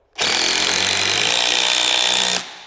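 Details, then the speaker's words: Impact driver driving a screw, compared with drill and hammer drill: loud, rapid hammering chatter with a bright high buzz staying even as the screw sinks; fast, noisy, with vibration, working normally. "así que con el impacto que vas a notar velocidad pero también vas a notar Ruido y mucho más control que puedo hacer."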